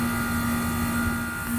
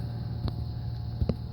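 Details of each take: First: Trane compressor, 5.5 amps, suction pressure 35: steady low hum with fan rush, no knocks or rattles. Running smoothly. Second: Old Trane HVAC unit compressor failing to start after rewiring and thicker contactor wire: low strained hum with a couple of sharp clicks, drawing about 50 amps but unable to break free; compressor locked.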